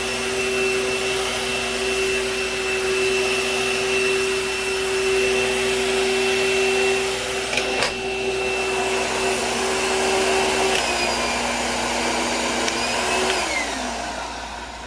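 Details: 2012 Bissell vacuum (u5140900), brush roll needing a belt and cleanup: steady high motor roar with sharp whistle and rough brush chatter underneath; brush roll noisy but still functional.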